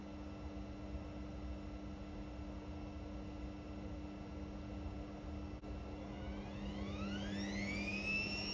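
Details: Indesit Innex XWSC61252 washing machine, previously not draining, test run after filter cleaned: steady hum, then clean motor whine climbing smoothly as drum ramps into spin, no scraping or knocking; normal spin, speed dipped on high-speed motor coil.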